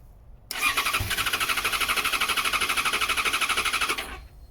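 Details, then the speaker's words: 2014 Yamaha XJ6S Diversion, under 12k miles, stolen-recovered: after cycling the fuel pump, starter cranks briskly about three compression pulses a second for three seconds but never catches; owner suspects water in the tank, fuel not getting through. "Sound like it wanted to go down the first one. No, so we'll cycle it a couple of more times. What I'm concerned is that water got into the tank, so it may be just trying to start on water at the moment, which is never a good idea."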